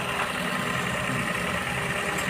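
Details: Maruti Suzuki Baleno after replacing rattling old water pump with new TVS water pump and refilling coolant; smooth, even idle with steady hum, no squeal, grind or bearing rumble from front of engine: normal idle.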